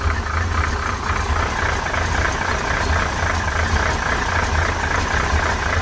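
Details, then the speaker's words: 1968 Corvette with a 1969 350 small block and 1972 heads, cold start after sitting a couple of weeks: steady idle with a light, quick tapping over the exhaust and some blue smoke. The owner suspects worn lifters and rocker arms; it always sounded this way. "This car has a couple rattles. I know it sounds probably sounds bad."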